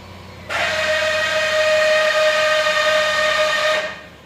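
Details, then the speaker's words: Land Rover, engine running, parking brake pressed from inside: loud steady whine for about three seconds as the electric parking brake motor strains; warning light blinks, release fails; faulty module with damaged internal gears. "ये जो आपने अभी sound सुनी है, ये parking brake की थी। अब ये इसकी लाइट भी ब्लिंक कर रही है और अब इसको मैं दोबारा रिलीज़ कर रहा हूँ तो ये नहीं काम कर रही।"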